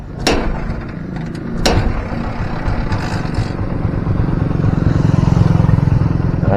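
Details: Barako 175 single, warm, after the air screw was set for highest rpm to cure hard starting and a noisy engine: light kicks, no choke or throttle, it catches and runs with a steady, evenly building thump; starts easily, normal running.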